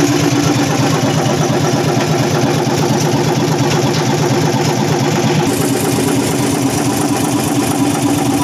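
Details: Hino EM100 diesel engine started after sitting dead three to four years: even, steady idle clatter at a constant pace with no misses or knocks; normal idle.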